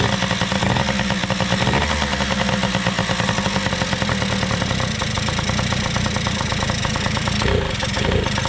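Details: Small two-stroke engine after carburetor work (OEM Mikuni carb reassembled); steady even idle with quick regular popping, no misses or stumbles, idle possibly a bit high: normal idle.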